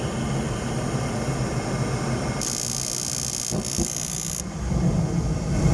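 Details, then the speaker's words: Trane gas furnace after gas valve replacement, first start: sudden whoosh as the burner lights, then steady building low roar; ignites and runs normally. "anyways as you can hear it did ignite it is running so we are good to go"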